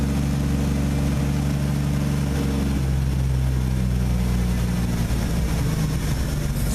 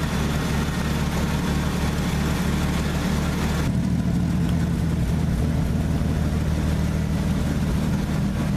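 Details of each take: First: Old engine that hasn't run in a while, restarted as snow melts and held on the gas pedal while warming up: uneven, lumpy idle settling into a steadier lower drone, still not idling on its own; rough running when cold, smoothing out. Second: Old truck engine warmed up to temperature after a cold start: low, even rumble with steady firing, no knocks or misses, smoothing into a healthy idle once warm; normal warm idle.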